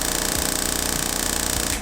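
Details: GT40 replica build, new fuel circuit: the high-pressure pump and the second pump are run together, dry without fuel for the test, giving a steady rattling electric buzz with a thin high whine that stops cleanly. Normal fuel pump operation.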